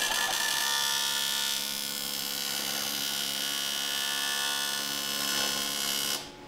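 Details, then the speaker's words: AC TIG welding with the frequency turned down to slow the process: steady high-pitched buzz with a slower, even hum underneath, cutting off cleanly. It is slower but still crisper, partly from the shielding gas. Normal AC TIG arc at low frequency. "it's yeah that put me to sleep yeah it's definitely slower but it still it still sounds uh different than yours it does it sounds uh crisper"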